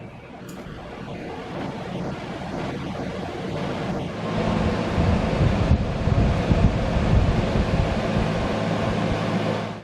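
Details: Window AC unit on a regular 120V outlet, just installed in a garage window (garage at 81°F): quiet, then a steady airy whoosh with an even low hum comes up and holds smoothly; running normally.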